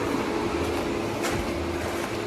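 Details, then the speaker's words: 2012 Nissan Murano after radiator replacement and coolant refill: steady, even hum with cooling fan running, no knocks, ticks or misses; engine idling normally. "she's running fine I mean fans going I can hear it"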